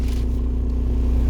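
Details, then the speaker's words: VW Golf TDI diesel idling on new solid engine mounts, interior microphone: loud heavy low-pitched drumming with steady throb; far more vibration into cabin than OEM mounts, lessening at higher rpm. "Yeah, there's definitely a lot more vibrations."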